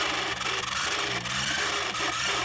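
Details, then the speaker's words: 1958 Bolex B8L standard 8 or 1968 Bolex 155 Super 8 Macrozoom clockwork running: dry, raspy continuous rubbing squeal; mechanism badly needs lubrication. "Yeah, let's see, that's the sound of one that needs a lot of lubrication. You can hear it kind of like a... Yeah, no, it doesn't sound very happy. Oh! Listen to that squeaking!"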